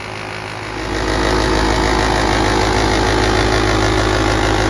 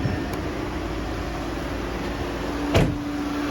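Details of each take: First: 2014 VW Beetle Turbo GSR at idle, engine at normal operating temperature: steady hum with a rough, throbbing out-of-balance beat from the dual radiator cooling fan assembly; a cracked fan blade causes vibration, fixed by replacing the assembly. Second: 2014 VW Beetle Turbo GSR after replacing the cracked dual radiator cooling fan assembly, engine running with A/C on max: both fans ramp up with a steady airy rush and low even hum, no rattle or wobble; normal, no vibration.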